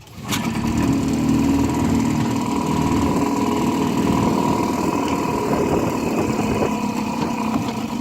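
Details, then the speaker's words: 1955 Johnson CD-12 5.5 hp outboard on the pond after rebuild with new points, condensers, aftermarket coils, wires, plugs, carb kit and fuel lines: steady even putter at idle, no misses, knocks or surging; normal idle. "she's not real pretty but it's it's good runner so happy with it"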